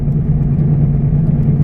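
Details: 2009 Chevy Aveo, 144,000 miles, driving at up to about 40 mph: heavy steady low droning growl under road noise, constant with speed; worst set of worn front wheel bearings, needing replacement.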